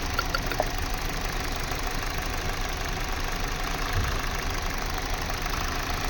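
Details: Kia/Hyundai engine at idle: a steady idle with a faint uneven pulse and no clear rhythm, consistent with a misfiring cylinder; rough idle misfire.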